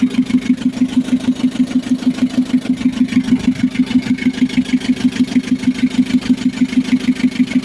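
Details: Mitsubishi L300 FB diesel after hard-starting fix (fuel pump replaced, wiring, starter, alternator, ignition switch repaired): settles into even, steady idle with firm regular pulses about two a second, no misses or knocks; healthy.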